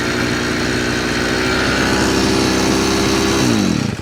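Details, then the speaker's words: Chinese 43cc two-stroke brush cutter repaired after it would not rev and then stalled: a strong, even high-pitched buzz held at full revs, then winding down cleanly at shutdown; running properly. "It works. Okay, now we'll completely reassemble it and test it."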